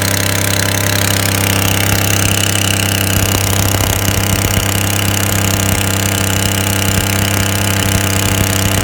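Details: 2017 Chevrolet Impala V6 on cold start: quick uneven puffing tick over the idle; exhaust leak at the catalytic converter, fixed by replacing the cat and cat heat shield.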